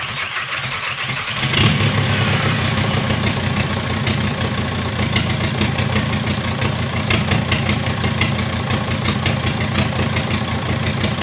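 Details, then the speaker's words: VW T5 Transporter after 1.9 TDI PD130 ASZ engine swap with rebuilt head, first start with boost pipes off and downpipe unfinished: brief crank, then harsh, loud chuffing diesel run; loud because the EGR pipe was left off. "oh yeah it's not leaking and I forgot to put the EGR pipe on that's why it sounds like a tank and it hasn't got the downpipe one"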